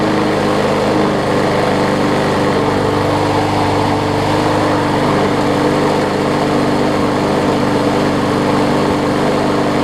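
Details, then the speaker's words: Older MTD 21-inch push mower, 3.5 hp Briggs & Stratton, after fixing the carb and straightening the bent crankshaft's high spot with hammer blows: even, steady single-cylinder drone, no wobble or thump, only slight vibration. "You can feel it vibrating just a little bit, but man, is it smooth at the top where the handle is, where you're gripping onto it."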